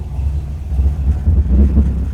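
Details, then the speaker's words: Carbureted engine after idle-speed and idle-mixture screw adjustment (screws were out about 5 turns, now run in 3.5): steady, even low rumble at about 900–950 rpm with no stumbles or dips; previously nearly stalled at every light, now idles great. "About 900, 950. Yeah, I can live with that. When you go from stopping at every light, wondering if it's going to keep running, to now it's idling great."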